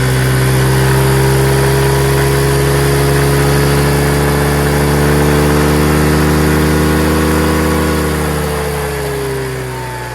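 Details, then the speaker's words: Chinese 150cc TNG Verona scooter after a carburetor clean and refilling the fuel bowl. Steady buzzing idle that rises cleanly with throttle and settles back smoothly: normal idle and revving. "Holy cow! Fellas, it's running! And it's idling beautifully."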